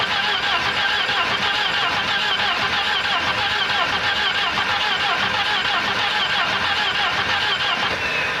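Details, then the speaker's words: 1985 Volvo 240 (owner reckons 84) long parked in the woods: starter grinds at an uneven, dragging pace, about 1.5 beats a second; won't fire even on a full can of brake clean, owner says clearly down on compression. "yep she's struggling I think I think uh I think that's about it this car is definitely down on compression is what it is full can of brake clean wasn't enough to get it to uh fire off"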